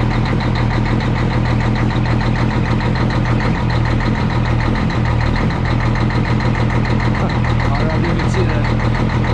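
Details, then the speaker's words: Peterbilt with Cummins diesel just jump-started cold after sitting three days; loud steady rumble with an even beat near a hundred per minute, slight lope, no misses or knocks, idle self-regulating for temperature as cold oil circulates; normal cold idle. "so okay and she apparently has regulated herself here a little bit due to the temperatures and you can hear coal in that oil circulated up in that engine"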